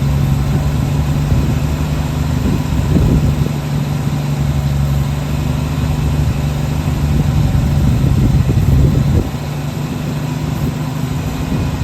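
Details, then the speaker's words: 1966 Chevrolet C10 shortbed six, last licensed 1979, fired up after sitting long: settles into steady low idle on its own, even hum without stumbling, dropping slightly near the end; normal idle. "After that long, this thing fired up like nothing. So sitting there running on its own."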